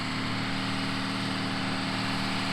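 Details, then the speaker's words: International CO9670 cabover truck, 350 Big Cam diesel, with new injectors and new injection pump: steady even low drone with a smooth firing rhythm, no knocks or misses; normal running. "man it's really running good unbelievable I never do enough with this guys cuz I know you guys like to see my pretty face check that out you hear how good it's running"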